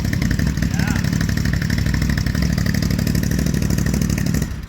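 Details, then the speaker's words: Can-Am 850 quad after repair of a lost cylinder (chain tensioner plunger spring had popped out, causing an air-loss-like sound), fresh oil, aftermarket exhaust: even, steady V-twin idle with regular firing pulses, no hiss; sounds right now. "Yeah, it sounds good."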